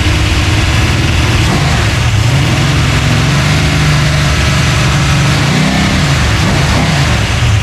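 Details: Freshly built 383 stroker small-block V8, just installed in a 1970 Monte Carlo and fired up for the first time: loud, deep rumble that climbs and falls cleanly on throttle blips with no knock or misfire. It revs freely and normally.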